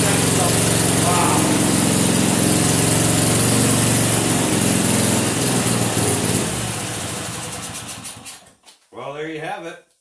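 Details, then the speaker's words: Vintage snowblower small engine, just revived: holds a fast, even beat for several seconds then winds down and stops, with no knocks; doesn't sound too bad, normal running. "I'll be damned um I can work with that all right that doesn't even sound too bad no kidding well that might be all right"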